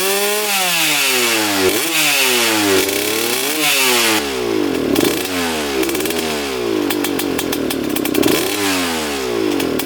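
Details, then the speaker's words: 2003 Suzuki RM125 two-stroke before the fix: repeated blips where revs climb sluggishly and sag, raspy note, blue smoke; engine bogs on acceleration. "definitely sounds boggy quite a bit of smoke coming out of here"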